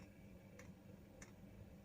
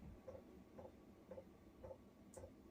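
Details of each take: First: Chinese diesel heater fuel pump in a Talbot Express Highlander van, after the fix (pump secured with ties so it no longer vibrates against the van side, covers fitted): only light crisp ticks about every 0.6 s, the thudding gone. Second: Chinese diesel heater fuel pump mounted on a campervan bathroom wall (Talbot Express Highlander), before fix: soft regular ticks just under two per second, each a dull thud transmitted through the wall.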